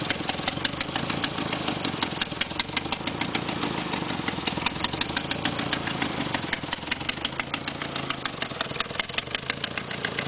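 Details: 1990 Nissan 240SX coupe with KA24E petrol engine at idle: fast, sharp ticking in step with firing that sounds like lifter knock; actually an exhaust leak at the manifold bolts and gasket.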